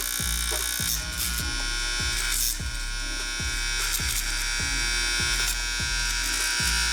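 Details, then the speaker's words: 1964 vintage Andis Master hair clipper before restoration, loose part, blade cutting only a little: harsh buzzing rattle with a fast uneven clatter about four times a second; loud rough running, cause unclear. "Alright, we'll get this running a lot better and a lot.....(noise increases). That sounds horrible!"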